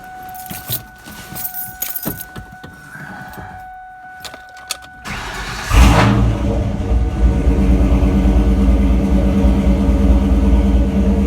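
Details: New Edge Ford Mustang with code P0190 (fuel pressure), after fuel pump replacement; fuel pressure now reads 56 psi. After handling noise the engine catches cleanly and settles into a steady, even idle; code fixed, normal start and idle.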